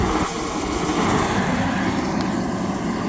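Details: Propane-fired construction heater bought at a Sunbelt Rentals auction, under test with its fan switched on before the propane was connected; the fan ran at normal speed, not slow like two others. Steady even fan-and-flame roar with no sputter or surging: burner lit and running properly.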